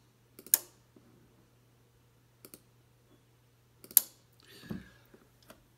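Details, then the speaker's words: Ten-Tec Pegasus transceiver that receives well and has transmit drive but no transmit power: a few crisp relay clicks over a faint hum as bands are changed, so the band-switching relays work normally. The transmit fault remains undiagnosed. "so the way this thing works is when you go to a certain band you want to hear the relays click that it is indeed setting up for that band so if i change bands here you can hear a pretty good click so that part of this thing works"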